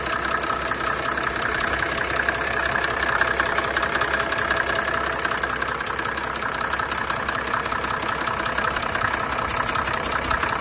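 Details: 1987 Mercedes 300D (OM603 diesel) idling with a loud, sharp, fairly regular tapping knock two to three per second over the clatter; owner fears engine is shot, but it kept running two more years as daily driver.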